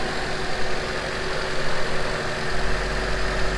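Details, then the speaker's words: Honda CRX (ED8) after throttle body swap and a temporary coolant hose fix, warming up: steady, even low idle with smooth regular beat, no misses or knocks; normal idle. "Alright guys, so it's running pretty good."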